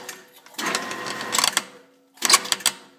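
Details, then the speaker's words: Drilling with a tap through a hole while mounting the generator on a wood chipper build: short drill whirr bursts with a thin squeak on top, sounding squeaky and nasty as the tap binds near full depth. "quit there that sounds a little squeaky and nasty oh I'm about in all the way anyway"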